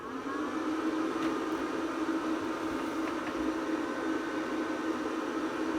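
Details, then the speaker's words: APC Smart-UPS 1500 (bought faulty) reconnected to mains after a full power-off: it clicks, then a steady whir with a faint whistle and hum as it charges the batteries. Normal cooling fan, no rattle or scrape. "i just heard it clicking and now it's doing that little whistling noise and humming to charge the batteries"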